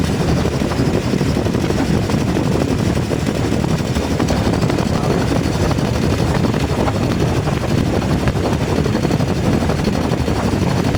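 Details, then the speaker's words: 2019 Nissan Terra automatic with a hard-starting diesel idling rough and lumpy, shaking even the doors. The misfire comes from faulty injectors on cylinders 1 and 4, and water was found in the fuel. "n so yan mga sir ah may problema to sa injector sa dalawang injector ang problema sa number four t saka sa number one"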